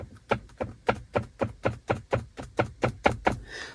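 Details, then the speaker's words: Suzuki Grand Vitara cabin trim part that clicks when opened or touched by hand; sharp even plastic clicks about four per second, no engine; loose interior trim rattle, to be fixed with tape. "को जब खोल के रखते हैं हाथ रखते हैं नाना तो कटकट कट कट आवाज करता है मैंने आपको वीडियो का छोटा सा क्लिप डाला है उसमें देख सकते हो जिसमें आवाज कर रही"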